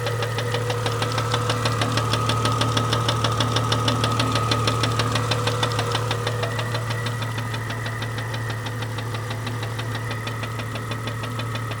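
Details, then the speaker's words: 1998 Jeep Cherokee XJ 4.0L, after head removal and lifter replacement, noise appeared overnight: sharp, even ticking about three per second over a steady idle; top-end knock, owner says it's not rod knock or piston slap, cause not pinned down. "that was really loud okay um so you saw the check engine light was on that's because what I've done is I've actually just torn the motor apart because of this noise"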